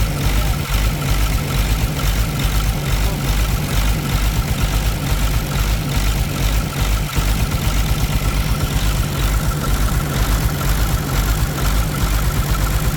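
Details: Caterpillar C13 heavy diesel idling during injector cut-out test checking cylinders in turn, valve cover off, lumpy uneven beat about two pulses a second, heavy smoke; misfire suspected from a bad injector, not confirmed.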